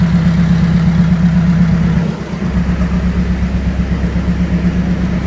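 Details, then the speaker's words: B18C1-swapped Honda EG hatch, turbo, after dyno pulls that lost about 20 hp and 20 lb-ft and ran richer, with exhaust smoke back: uneven, lumpy idle of about 160 beats a minute with dips; a damaged piston is suspected. Rough idle. "And it got richer. And my idle didn't used to sound like this."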